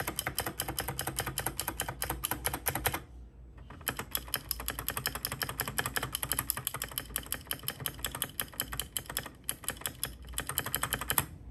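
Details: Keychron K6 keyboard after clipping two bottom parts of stabilizers to remove rattle (factory pre-lubed): crisp quick keystrokes, no rattle or buzz on wider keys — normal typing, stabilizers quiet.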